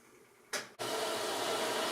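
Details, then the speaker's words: Maytag Epic Z front-load washer on a rinse and spin cycle after its drain pump was replaced; a click as the door locks, then a steady rushing hiss as the inlet valve opens and water pours in, a normal water fill. "then it'll lock the door at some point in time there you go door's locked then it'll allow water in there"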